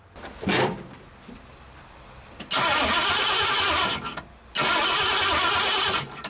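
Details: 1959 Ford Galaxie Fairlane 500, off the road since 2010, first start attempt before fuel was added, with the carburetor stuck. Two long cranking spells of about 1.5 seconds each; the starter spins hard but the engine never catches: no fuel, no start.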